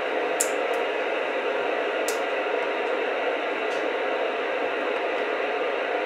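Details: Radio picking up interference from a Raspberry Pi's switching power supply, several ferrite toroids on the cord still not enough: constant loud hiss with a few sharp clicks swamping the receiver instead of any station.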